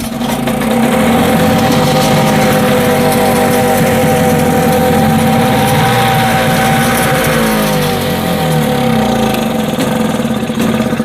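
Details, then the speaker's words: 1960s Mercury 3.9 outboard, stored two years with stabilized fuel, fresh plugs and cleaned carb, new impeller, in neutral on full choke after 3.5 primer-bulb squeezes: fires quickly, then runs choppy and uneven, speed wandering; still needs choke. "it just fired up real quick but um okay I think we're still going to need some choke"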